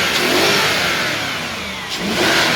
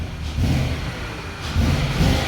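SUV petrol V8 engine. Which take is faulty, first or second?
second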